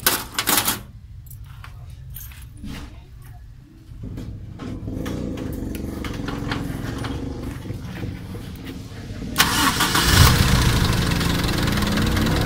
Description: Ticking sound while your engine is running is a sign that your valve clearance is too thick. Making it thinner will make the sound away or silent.